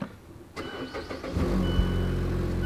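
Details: Mazda Skyactiv naturally aspirated engine, AWD, about 153,000 miles, doesn't burn oil, exhaust leak at a bad weld: brief quick cranking, catches promptly and settles into a steady even idle; clean, healthy start.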